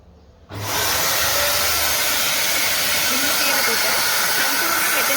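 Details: Samsung SC4130 canister vacuum cleaner (1400 W nominal, 1600 W max, 220-230 V) switched on: spins straight up to a steady, high airy roar with no wavering or rattle, healthy full-suction run.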